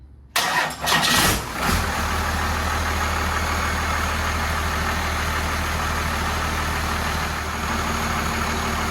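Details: 1993 Cummins 12-valve D350 chassis under 1940 Chevy truck body, idle rod just extended and adjusted: brief crank, diesel catches and settles into steady even idle, no misses or knocks; normal idle.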